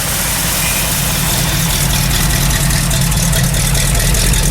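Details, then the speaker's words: Carbureted engine cold start after sitting a while, vacuum line just reconnected: loud, even idle with steady beat, no misses, pops or knocks; running smoothly. "That sounds good."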